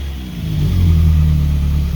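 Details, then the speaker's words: Caterham salvage rebuild, about 200–250 miles in, after correcting ignition timing that was out and causing power flattening around six and a half thousand rpm: short blip rising and holding smoothly, clean even low note, no misfire or rattle; normal revving. "okay so i think we've finally nailed it the timing was out i'll show you in a second while it's running we'll go back and listen to it running this time now that is actually correct"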